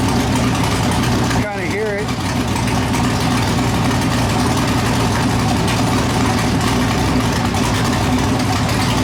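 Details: 408 LS stroker V8 on first start after build: loud, choppy, loping idle with an uneven chug from the big cam; normal for this build, air-fuel around 13.3, possibly a touch lean.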